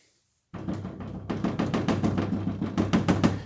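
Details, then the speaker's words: Renault Sandero/Duster/Oroch front door: quick hollow knocks, about three a second, with a dull buzzy rattle from the front panel, not the rear; the glued reinforcement behind the door skin has come loose. "fíjense que lo hace ese panel y este no el de atrás no"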